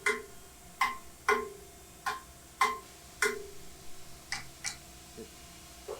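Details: Mazak Integrex e650 mill-turn machining a coupling with a worn five-flute high-helix end mill at the end of roughing, where the cuts seemed to want to chatter. Sharp, uneven metallic ticks about once a second; cause not clear.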